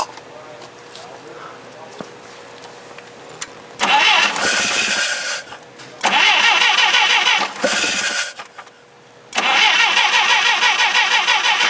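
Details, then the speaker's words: Clark C500-45 propane forklift during tune-up, just fitted with new distributor cap: three even cranking bursts that never fire, a crank no-start; cap suspected of not making contact, old cap refitted, still no start. "it doesn't start I don't think it's making contact I'm gonna put the old cap back on"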